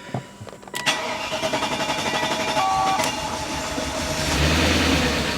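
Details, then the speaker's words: 1998 BMW 740iL first start after fuel pump replacement: fires after short crank, settles into uneven lumpy idle with ragged pulses and missing; not charging, ABS light on; running rough. "Hey, it started. It sounds terrible. It's not charging."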